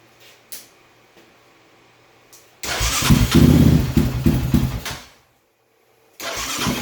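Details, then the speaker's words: 2006–2007 Raptor 700 high-compression ATV after a top-end rebuild, idle sometimes good, sometimes bad or dying: lumpy single-cylinder idle, erratic harsh thumps about four a second, surging then cutting out; traced to failing wire harness inside the mid frame. Erratic idle. "you're gonna hear that it kind of has an erratic thump to it so has a little bit harsher of a sound more than just what compression is"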